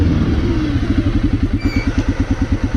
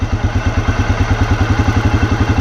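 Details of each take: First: 2006 Arctic Cat 400 ATV after engine rebuild with new pistons, warmed up, in neutral: slow, loping single-cylinder idle at about eight thumps a second, close to stalling; idle speed set too low, turned up to fix. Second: 2006 Arctic Cat 400 after an engine rebuild with new pistons and rings, warmed up, idle adjusted up in neutral. Even, steady single-cylinder thump with no misses or stumbles; healthy idle.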